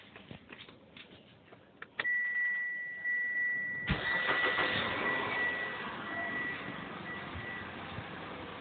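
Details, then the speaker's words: Inspira 2.0 / Lancer GT after engine mount replacement, heard from inside the car with aircon off: engine starts and settles to a steady, even idle without the previous droning or humming; faint chime in background. "So let me off the aircon first. Okay, there's no more droning sound, or should I say the humming sound, and this is what it sounds like from inside the car. Alright, very much more silent compared to previously."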